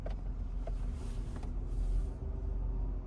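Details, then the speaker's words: 2011 Toyota Sienna front AC blower after blower motor replacement: a smooth, steady low hum, no longer rumbling, running quietly. "you can see it's quiet now. You can't hear that same rumbling noise."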